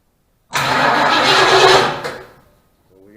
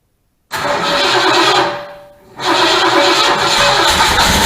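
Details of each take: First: 1972 Mustang Mach 1, 400 big block, first start attempt with dual-spark emission control module wired in: about 1.5 seconds of starter cranking that stops without firing; owner suspects bad module or ground, unconfirmed. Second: 1972 Mustang Mach 1, 400 big block V8, replacement control module and a little gas added: one burst fires and fades, then a second catch roars up and holds several seconds; engine starts and runs.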